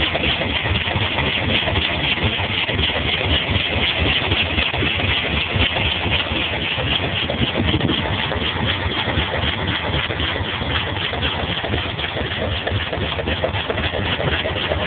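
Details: 1965 Cadillac V8 idling with a dull repeating knock over the engine note, faint music behind; owner suspects rod knock.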